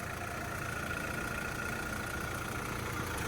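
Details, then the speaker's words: Fire-damaged VW Caddy truck (ABA swap build) idling after a wiring fix and bending back a heat-warped shield that rubbed the timing belt; steady smooth hum with no scraping or rubbing; normal idle. "But guys, it is finally running right. Oh my god. A good sounding motor right there."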